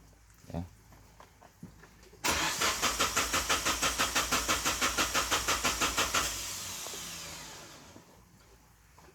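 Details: Suzuki Grand Vitara (fuel-injected) converted to LPG from a 3 kg cylinder; the engine died when the gas valve was closed, and the valve is reopened for a restart. Starter cranks in even pulses, about three a second for four seconds, then fades; no odd noises.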